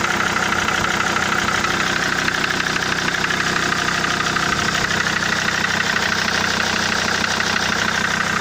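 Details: SsangYong Rexton 2.7 diesel at idle with a sharp regular knock about three times a second over the clatter; knock faded when injector plugs were unplugged, yet it stayed after injector 3 rebuild and new nozzles on two others, so cause unconfirmed.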